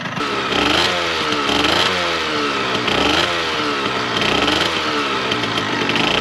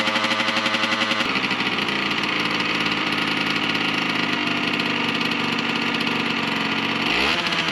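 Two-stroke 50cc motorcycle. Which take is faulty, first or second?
second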